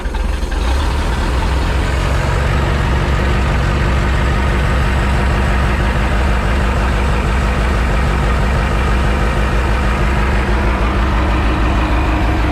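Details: Mercruiser 3.0 boat engine on earmuffs water supply after J-B Weld repair of a block crack behind the exhaust manifold; fires right up and holds steady even idle, no knock or misfire; a water hose clamp was forgotten, still leaking.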